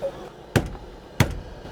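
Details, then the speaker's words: Two taps on a blown, worn-out speaker in a 1973 Buick Centurion (455 big block) playing static, each giving a dull buzzy thump; owner complained speakers cut in and out while driving. "I've got some static playing and if I tap that one over there it'll make a weird noise like it's blown you can hear it"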